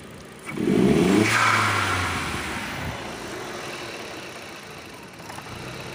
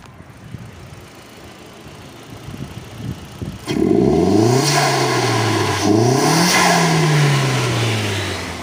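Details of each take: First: SEAT Leon mk1 1.8T with a new TiAL blow-off valve on its soft original spring: quick rev rising, then a hissing rush as revs fall. The valve seems to leak and stay open; a stiffer spring is to be fitted. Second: SEAT Leon mk1 1.8T with new TIAL relief valve refitted with original spring and shims: clean rev rising and falling smoothly, holds speed steadily with no stumble or drop-off; runs evenly and healthy.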